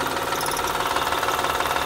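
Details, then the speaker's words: 2007 Honda Odyssey 3.5 at idle, wheel removed, recorded near the timing belt with a noise-finding tool: fast, even ticking rattle keeping time with the engine; worn timing belt tensioner, fixed by replacing tensioner, timing belt and a side engine mount. "mejor aquí se escucha seguramente es el tensor de la banda el que está provocando ese ruido"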